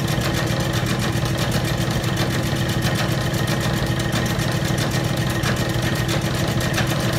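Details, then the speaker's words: Old Bennett 541 gas pump motor, stored in a barn for many years, running after being powered up: steady drone with an even low thrum and no grinding or squeal. The motor runs normally. "I can't tell you how satisfying it is to take an old pump like this that was in a barn stored away for many many years and actually getting it to run"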